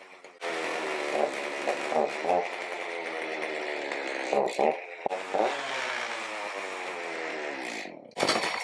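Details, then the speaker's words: Stihl MS310 chainsaw, no-start after storage, cold start on full choke then one click up, without chain or load: fires quickly and bar oils, but runs with a wandering, uneven buzz and stumbles; carburetor needs adjustment. "Yep, it's oiling. Started up pretty quick. Does need a carb adjustment."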